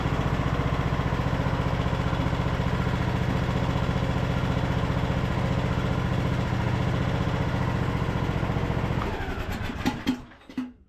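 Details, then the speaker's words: Craftsman LT2000 riding mower, single-cylinder engine after carburetor cleaning and fresh fuel: even putter about 220 beats a minute for nine seconds, then clean shutdown; engine sounds good. "so far sounds good. Engine sounds good."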